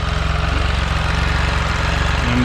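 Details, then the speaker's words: Can-Am Spyder RT at warm idle after a service (Amsoil oil, HCM/transmission filter, oil filter and fuel filter): an even, steady low putter with regular firing and no ticks or knocks. No drips were found on the HCM filter, transmission or motor. "It's been warming up for a little while."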